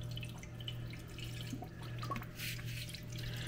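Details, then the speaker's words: Air purging from a Whirlpool/KitchenAid/Kenmore refrigerator water dispenser after replacing the leaking water valve, caught in a bucket. A quiet hum under irregular spitting and dripping as trapped air escapes. "you can hear the air escaping right there we'll just let it keep coming so the air stops coming out"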